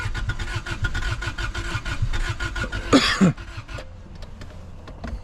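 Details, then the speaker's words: Honda Civic sitting about 10 years, dead fuel pump and likely gummed tank, cranked with brake cleaner in intake; steady rapid cranking, brief catch, then dies: crank no start from fuel starvation. "yeah it's not gonna it's not going to run all right guys well it was a valiant effort"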